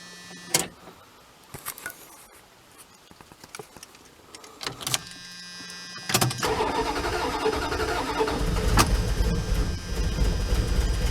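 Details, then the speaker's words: Old campervan started after sitting all winter with a recharged, boosted battery: uneven, stumbling crank with scattered clicks before it catches and settles into a rough run; hard start, cause unclear. "I'm not quite sure about the sounds I'm hearing. But it definitely doesn't seem to be running top notch, you know."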